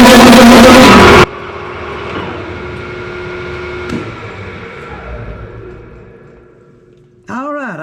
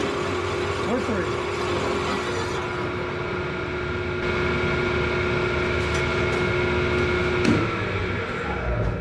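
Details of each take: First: Large lathe drilling through a thin part with a large bit: loud harsh wavering screech from the cut dying as the spindle winds down; part chatter, remedied with a rag. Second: Large drill bit on lathe or mill after oiled rag pressed against the part to stop chatter: steady clean cutting tone under spindle hum to breakthrough, no chatter, round accurate hole.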